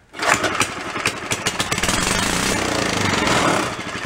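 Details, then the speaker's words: Early-1970s Rupp mini bike, about 50 years old, being rebuilt with no intake manifold or carburetor fitted: fuel poured into intake, sputtering pops catch almost at once, then a rough continuous buzz for seconds. "but first i gotta throw a little bit of gas down there see what she does right she'll give us a little bit of fire"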